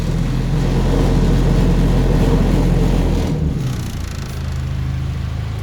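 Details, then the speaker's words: Honda Civic with swapped F23A engine run without an idle air control valve, cold start with a janky eBay exhaust and parking muffler: fast, steady cold idle that drops and settles lower as it warms, high cold idle without IACV. "even know how to control valve it just sits here once it warms up a little bit it runs that was cold start honestly he's not that bad"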